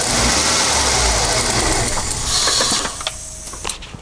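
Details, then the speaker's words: 1996 Ford Falcon EF 4.0 inline six at idle, which dies at idle: runs rough and uneven, then stumbles and fades to a stall within seconds; vacuum thought unlikely, owner suspects EFI, not confirmed. "so i don't think it's anything vacuum related i think it's more efi especially the way it stumbles"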